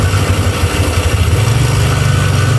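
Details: Sewing machine motor after oiling the loose bearing housing through the oil hole: steady low hum with an even throb, no rattle or grinding; runs smooth and quiet now.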